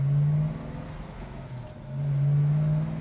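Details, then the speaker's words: 1968 Chevrolet Chevelle SS, frame-off restored, big block, 4-speed, dual exhaust, driving after a downshift into first: a deep, even V8 drone swells and eases with the throttle, no misses or knocks. A healthy engine. "listen to this thing, man. She's just a humming."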